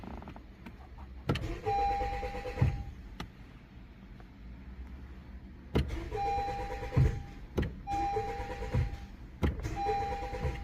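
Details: Honda CR-V, 55,000 miles, one owner, every warning light on: several short whirring start attempts, each with a steady chime-like tone cutting off; engine never catches, no-start.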